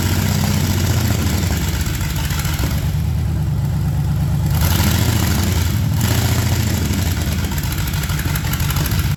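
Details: Project truck with LS swap on a lift; deep V8 idle with a lumpy, uneven, wandering beat, from a couple of big vacuum leaks and a missing mass airflow sensor upsetting the mixture.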